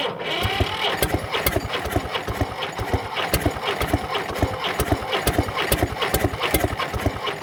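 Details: Previously seized Fordson Major diesel tractor wreck from far west NSW on a temporary crank start; rapid chuffing about five a second while cranking without catching, no start, cause unknown.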